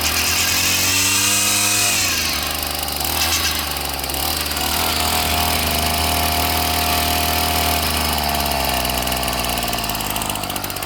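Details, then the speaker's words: Ryobi 740R two-stroke trimmer, first start after winter storage, new carb, primer bulb, mostly new fuel lines, no leaks: high buzzing rev drops after two seconds to a smooth steady lower speed without stumbling; runs well. "It's got a brand new carb on it, brand new primer bulb, almost all new fuel lines. No leaks. You can hear how good it runs."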